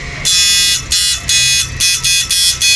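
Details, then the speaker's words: Repaired Susan 835 inverter, tested after the flip-flop was disabled, a switch added and the output adjusted for more power. A loud high-pitched buzz pulses about every half second, strong and even on the high setting, and both high and low work. "Yan, malakas siya. Hina. Bali yung high and low, maandar pa to."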